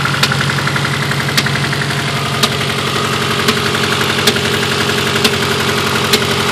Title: Misfire?